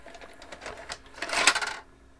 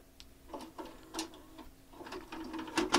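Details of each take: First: JVC HR-A592U VHS VCR with load/eject fault: short whirring and rapid small clicks ending abruptly as the loading mechanism cycles with no tape inside; a tape-present sensor, possibly infrared, suspected faulty. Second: JVC HR-A592U VHS VCR with load/eject fault, after unplugging and reinserting the tape before replugging: tidy clicks and short motor whirs with no grinding or stalling, taking the tape normally.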